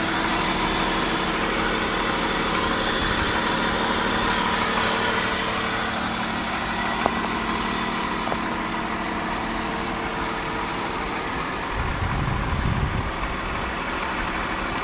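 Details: 1999 BMW 528i E39, M52B28TU petrol six, cold start: steady idle with a faint, uneven knock about three beats a second; owner believes it comes from around the intake manifold, cause not confirmed.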